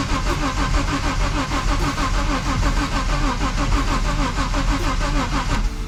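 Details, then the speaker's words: BMW E30 M-Tech after head rebuild with new valves and rocker shafts: starter cranks evenly six seconds but engine never catches; fuel feed and return lines swapped, pressure found on return side. "well it's not working i gotta check the fuel lines real quick uh they might be swapped so that happens a lot with uh because they both look the same"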